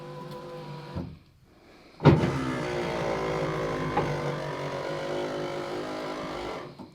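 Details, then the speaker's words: 1985 Chevrolet Silverado Squarebody power window after fixing derailed weatherstrip, greasing tracks and oiling pivots: motor makes a strained steady buzz with faint creak while raising, louder than ever and absent before; cause unknown. "Yeah, it wasn't making that noise before when it was binding up, and now it is. I greased all the tracks, I oiled all the pivot points, and now it's making more noise than it ever has."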